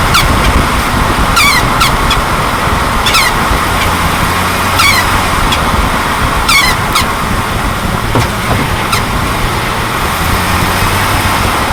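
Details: 2004 Jeep WJ Grand Cherokee while driving: high, chirping squeaks in irregular bursts over road rumble, like a crying puppy, seeming to come from near the front driver-side wheel or front driveshaft area; started a month ago, owner asks if it is "angry sparrows".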